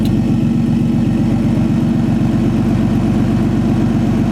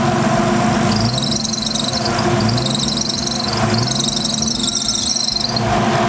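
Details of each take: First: RB20 with upgraded LS1 alternator (2004 Pontiac GTO unit), faulty idle air control valve, fans switched on, about 13.8 V: idle hunts slightly, no belt squeal or alternator whine; normal alternator and belt under electrical load. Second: Nissan RB20 at idle with failing OEM alternator, voltage just under 12 V and dropping when fans switch on: loud, high shrill squeal in bursts as electrical load comes on, belt slipping suspected.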